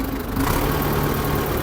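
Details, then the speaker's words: Diesel on a T-40 tractor at idle after the oil pump was cleaned: heavy, steady droning hum, no distinct knock; oil pressure about 1 bar and got worse, owner suspects too little oil. "Вариш каже, давление то змінилось чи ні? Нічого стало. Хуже стало. Може масла замало?"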